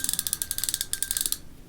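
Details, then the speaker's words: Burning Shark MG 7000 baitrunner spinning reel, main drag with braid spooled on: quick, even clicking about fifteen per second as line pulls out, then stops cleanly; drag feels smooth. A plastic ring under the spool rubs audibly. "On the main drag, feels okay. Pretty smooth, actually, surprisingly."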